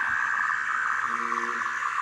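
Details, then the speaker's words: RC car electronic speed controller powered on with an electric motor connected. A short series of clean, steady electronic tones sounds as it probes and tries to recognise the motor. "let's turn it off and let's turn it on you will probably hear some interesting melody if it happens then the unit will recognize the electrical motor"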